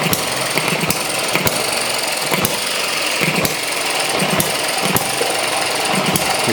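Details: ET6 model hit-and-miss engine, first run after mixture weakened: sharp firing bangs about once a second with quiet coasting between, evenly spaced; running properly on hit and miss.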